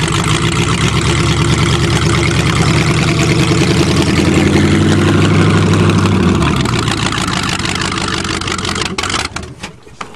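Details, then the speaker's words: Chevrolet (Cheviac) engine being revived after hydrolock, after valve work and with some plugs still wet, with the choke reduced: it catches and runs with an even low rumble, the revs settling with no misfire or knock. Normal running. "well there you go she went yep"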